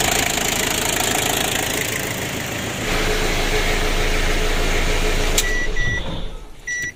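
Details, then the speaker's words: Ford Ranger diesel that previously would not rev high, as if limited, and lost oil: after repair it starts and revs up cleanly and holds without stumbling; now revs freely. "kita hidupkan dan kita coba gas itu sudah bisa Meraung untuk mesinnya kalau awalnya itu tidak mau teman-teman seperti limit begitu ya"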